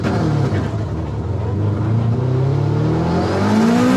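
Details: Turbo AWD Eagle Talon at drag strip launch: engine note sags and pulls sluggishly off the line before slowly climbing; held spool too long, built more boost than expected, rich-mixture bog.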